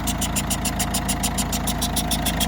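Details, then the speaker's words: Citroën C4 Picasso 1.6 diesel idling after timing belt replacement: sharp, regular ticking puff about five per second over diesel idle; burnt seal on second injector leaking, needs replacing. "Voilà, vous entendez peut-être un bruit un peu étrange. Il y a le joint, l'injecteur qui est cuit sur ce deuxième injecteur. Il va falloir le remplacer bien sûr."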